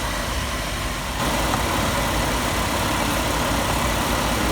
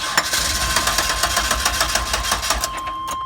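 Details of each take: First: 1997 Chevy Astro van that wouldn't start in damp weather, after new distributor cap, rotor, plugs, wires and coil: steady, even idle with no misfires even when soaked with water. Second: 1997 Chevy Astro van, 4.3 engine, that stalls or won't start in damp weather; moisture at the ignition coil suspected, not confirmed: starter cranks in quick even pulses for a few seconds but never fires; crank, no start.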